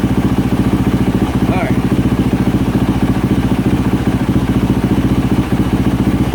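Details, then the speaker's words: 2024 Yamaha YZ450F single-cylinder at warm idle after overheating repair; no trouble codes, 13 volts, water temperature 64°C reaching 75°C running temperature. Steady thump about 3.5 beats a second, even and unbroken; healthy. "the water temperature is up to 64° okay let it get a little bit warmer okay she's up to 75° C is which has about running temperature"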